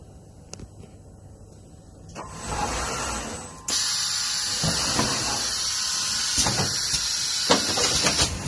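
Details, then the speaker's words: IOPAK MECH carton erector in automatic mode running program parameter 3, up to 12 cartons/min: steady loud air hiss with repeated mechanical thumps as each carton forms; normal continuous production. "We press it back into automatic mode. If we press the start, we will continually making boxes."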